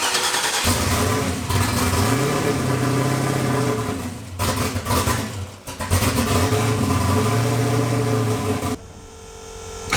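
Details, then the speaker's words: Turbo V8 on first drive: revs blip up and sag back into an uneven, lumpy idle that won't settle, seemingly not firing on all eight cylinders; a burnt-off plug wire found, and removing fuel didn't help; rough idle. "Which means, like, no matter how much fuel I took out of it, it still didn't want to idle."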